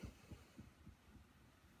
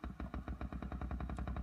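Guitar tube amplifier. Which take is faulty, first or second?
second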